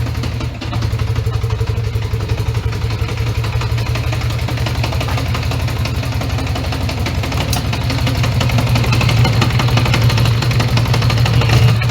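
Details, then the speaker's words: 1980 Honda Goldwing GL1100 flat-four right after carb sync, idle raised, not yet at full operating temperature: uneven stumbling idle with lopsided pulses, not running on all four cylinders. "It doesn't run on all fours. Heat. [Music] Heat. Heat. Heat. Yeah, it doesn't run on all fours all the time."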